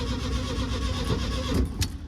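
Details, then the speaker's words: VW ('Wizard') being revived: the starter cranks the engine at an even rhythm but it never fires. Owner suspects no fuel despite the gauge showing some, possibly because it is parked uphill. Crank, no start. "But he turned over alright. Yeah, I just can't get him to go. No fuel."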